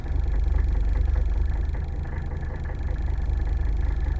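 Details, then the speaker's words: Cold start at 28°F, glow plug indicator not showing: diesel starts right up but idles noisy with a steady low clatter of three or four beats a second. Glow plugs tested good by ohmmeter; owner suspects the glow plug controller capacitors. "Yeah, look at that. It started right up. It's a little noisy,"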